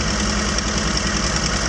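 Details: 1981 Toyota Tercel, carbureted, just jump-started from a dead battery: steady, even idle with a smooth low hum and no knocks or misses; the engine settles and runs cleanly.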